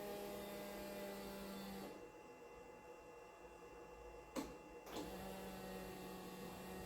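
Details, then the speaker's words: 1982 Datsun/Nissan 280ZX stored about 20 years, fresh unleaded added, before its first start. Steady low electric buzz for about two seconds, then clicks, then it starts again. The fuel pump priming normally; it needs 2–3 primes before starting. "Fuel pump's pumping, I can hear it."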